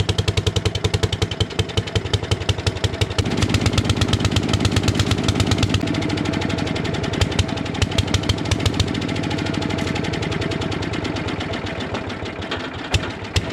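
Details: 1957 Gard'n Mast'r tractor, Briggs & Stratton series 23 9hp engine, parked for decades, with a brand new carburetor leaking gas: lumpy, uneven single-cylinder beat near 170 per minute that stumbles and hunts; running way too rich from a flooding carburetor.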